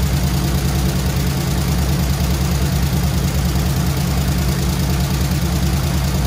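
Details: Squarebody Chevy C20 V8 with flat-tappet lifters, steady idle after rocker readjustment, metal found in oil: faint, somewhat irregular light tick over the exhaust note; lifters suspected not pumping up, replacement planned.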